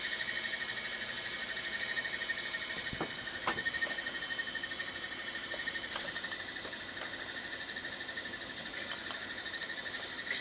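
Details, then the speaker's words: Macintosh Classic II, opened up, booting its SCSI hard drive (System 7.5): thin high whine with faint uneven ticking about three times a second; drive spins but sounds rough, owner plans to replace it with a BlueSCSI. "drive doesn't sound very good, but Welcome to Macintosh."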